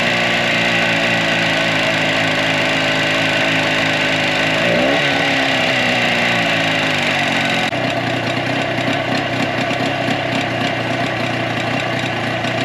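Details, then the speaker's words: 2004 Tohatsu 9.8 two-stroke long-shaft electric-start outboard, first test run after general maintenance: fast, fairly even buzzing idle. At first it seemed not to fire on both cylinders, but pulling plug boots while running confirmed both fire; normal idle. "Because to me at first it sounded like it wasn't hitting on both cylinders, but it was."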